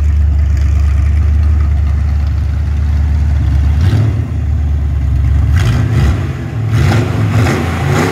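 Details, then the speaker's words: Ford 302 Windsor V8 on an engine test stand, first run in 12 years: an even idle burble, then clean revs rising and falling with no knocks or misses. No smoke, good oil pressure, a healthy motor. "so we've got the engine running I can't believe it twelve years it hasn't run and there's no smoke blowing out or anything like that"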